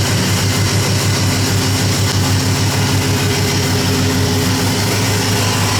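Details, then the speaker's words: Ford F-150 after driving through deep floodwater: steady idle with a faint rough whirr on top; belt-driven accessories (alternator, power steering, AC compressor) checked, noise traced to a dry, washed-out belt tensioner pulley bearing. "So, actually from where I'm standing, it sounds like it's a pulley or a bearing."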